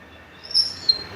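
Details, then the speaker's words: Paper guillotine squealing on the cut stroke: two short sharp high squeaks as the lever is pushed, caused by a loose screw sticking out and scraping the metal housing; fix is tightening the screw. "vocês estão vendo que ele tá batendo aqui ó e aí parece que ele tá meio para fora Então na hora que eu empurro ele tá arrastando na"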